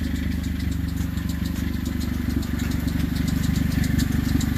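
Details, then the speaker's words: Honda CR-V with exhaust noise, engine idled and revved. A fast, even puffing chuff under the exhaust note from the pipe separated after the cat at the cat-to-muffler flange, with three rotted bolts; a light belt-tensioner squeak on top. "Got a Honda CRV. Think it has a little exhaust noise. See if I can rev it up for you."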